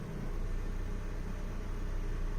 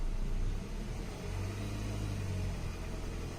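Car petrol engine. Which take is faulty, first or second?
second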